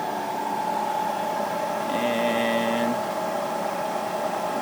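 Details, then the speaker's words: Bridgeport milling machine spindle motor on a newly installed VFD (drum switch bypassed), reaching 60 Hz: steady, even motor whine at one pitch, no knocks or rubbing; runs smoothly at full speed. "alright come over here turn this guy on I reach my speed at 60 Hertz"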